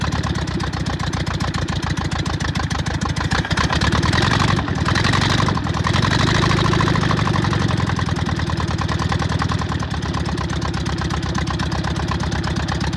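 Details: VW Bug air-cooled flat-four after new plug wires, ignition coil and distributor, fed fuel from a bottle: steady, even chuff at idle with no misses or knocks; finally running cleanly, normal idle.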